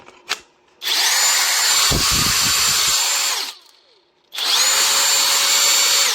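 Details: Parkside Performance X20V Team impact driver repaired with an AliExpress board and adapter; two clean, steady high whines of about three seconds each, even pitch, no rattle; normal running.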